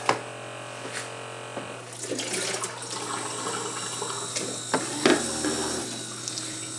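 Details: Keurig K-Cup brewer finishing an 8 oz cup: water streams and splashes into the cup, then tapers off with a few small sputters as the brew cycle ends normally.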